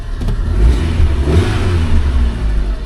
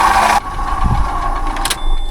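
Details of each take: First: Fiat Punto with a 1.4 Fire petrol four-cylinder and 5-speed manual, at auction: revs up and settles to a smooth, steady low drone with no knocks or rattles; the engine sounds healthy. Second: Car at auction, engine running, very low on coolant: a steady mid-pitched whine over the engine, identified as a dry water pump, probably leaking coolant from the pump; possible damage is a concern.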